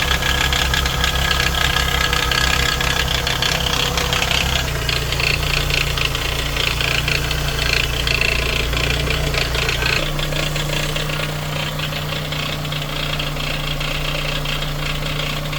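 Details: Toyota 2AZ-FE petrol four-cylinder idling with a busy metallic rattle over its steady low hum.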